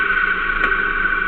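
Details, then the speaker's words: Reversed-rotation compressor motor running with a steady hum and high whine, then one sharp click as the centrifugal start switch closes back in; switch working 100%. "You heard the switch just close in now. So that's working 100%."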